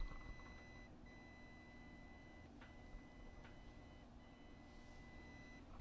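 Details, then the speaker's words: Soundcraftsmen PCR800 amplifier with the microphone a few inches from the front: a soft low-speed fan whir and transformer hum under a chirping 1 kHz test pulse. This is normal and inaudible from four or five feet away. "and you can hear just a little bit of the fan going it's not you wouldn't hear it if you're probably four or five feet away"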